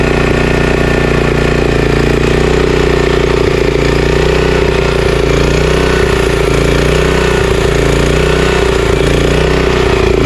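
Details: Honda GX340 11HP engine on a commercial pressure washer, previously seized and freed, started on choke with a little throttle after JB Weld carburetor repair that now leaks: loud single-cylinder chug swelling and dropping every second or so; idle surge, likely from a not-completely-clean carburetor.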